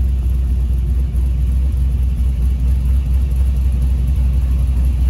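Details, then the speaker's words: Pro touring Camaro LS swap (LS1, LS6 intake, Holley Terminator X, 228/232 cam) idling warm at about 160°F: deep, steady idle with an uneven lope around four beats a second; healthy cammed V8. "we're going to hear a pro touring camaro with a cam so this isn't really a cold start"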